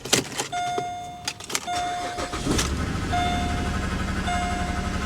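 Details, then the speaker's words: High-mileage salvage-auction car: a door chime, then the engine catches into a lumpy, uneven, stumbling idle with the check-engine and traction-control lights on. Rough running from a misfire. "that doesn't sound healthy oh definitely a check engine light dead miss traction control she don't sound happy at all not at all"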